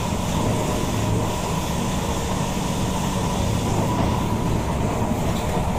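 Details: SMRT Kawasaki Heavy Industries C151 train 075/076, recorded in car 1076 A1/B1, Boon Lay to Joo Koon: dense rough rumble with gritty rattle under the running noise, origin undetermined; heard when decelerating and sometimes accelerating at high speed, with strong burning smell.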